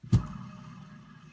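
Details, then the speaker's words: Alternator removed from a 1971 Fiat 850 Sport Coupe, which had not charged properly, spun by hand on the bench: thump then low, rough rumble while coasting down from grumbly, worn bearings. "But if I shut up, you'll be able to hear the bearings are a bit grumbly."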